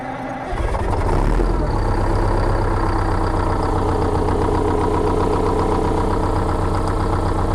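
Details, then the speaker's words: Rear-engine Bluebird bus diesel, manual transmission in neutral, started from rear start panel on a cold day after sitting in salvage yard: catches within a second, steady even low idle rumble; healthy cold start. "I just had to show you this man this thing sounds sweet considering she sat in a salvage yard for a little over"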